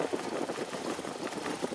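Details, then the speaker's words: Salvage Jeep Cherokee after new fuel filter and regulator, replacement fuel line, NGK plugs and cleaned grounds, idling on its own and charging the battery: steady, even idle, smooth mid-pitched hum with no knocks, misses or ticks; healthy idle. "It's just beautiful. It's a good motor."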